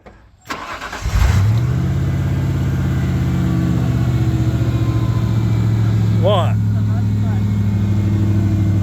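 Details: '96 Ford F150, 239,000 miles, still strong torque: quick crank, catches at once and settles to a smooth, even low rumble with no misses or knocks; normal start and idle.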